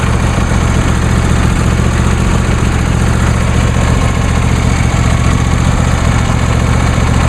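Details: New John Deere D130 lawn tractor idling after start; a steady, even low putter with no knocks, misses or hunting, the engine idling smoothly and healthy.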